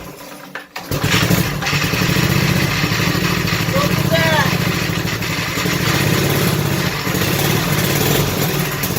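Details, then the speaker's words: 5 hp mini race mower engine running on choke just after cold start with starting fluid: fast, steady patter without misses, smoking a little; normal running on choke. "Alright. Smoking a little bit, but hey, it's an old start, right?"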